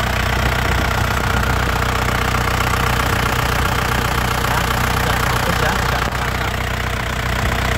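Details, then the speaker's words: 2001 Isuzu Panther LS manual diesel at idle: a steady, even, crisp clatter with no stumbling, so injectors (nozzles) and injection pump are judged healthy, with no leaks seen. "Mesinnya tidak ee pincang suaranya juga renyah ya halus renyah jadi mesinnya ini Insyaallah sehat ya Lur ya"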